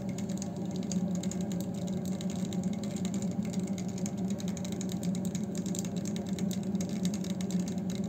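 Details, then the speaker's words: Demirdöküm combi boiler running while supplying hot tap water or heating radiators: light, rapid irregular ticking over a steady low hum from debris in the water inlet filter; cleaning the filter advised. "Kombi çalıştığı vakit yani suyu açtığınızda musluktan sıcak su akarken ya da petekleri ısıtırken ısıtma konumundayken şurada filtrenin olduğu yerden tıkır tıkır ses geliyor"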